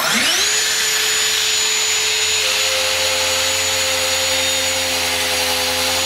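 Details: Circular saw ripping stock at the limit of its depth capacity with an unsuitable blade. Whine rises to a high steady pitch, then sags and labours as rpm drops. Burn marks left on the cut. Motor bogging under load.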